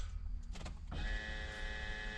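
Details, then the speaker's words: BMW 730d with key on after replacing the in-tank fuel pump: a click then a steady even-pitched electric buzz; normal fuel pump priming. "j'ai changé la pompe une pompe de réservoir ça fait ce bruit là"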